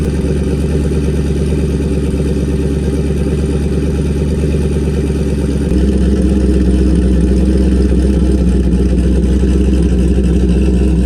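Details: Car with new turbo and MAP sensor, started to check a leaking water pump gasket: steady even idle with smooth low beat, stepping up slightly in speed partway; runs clean, no leaks so far.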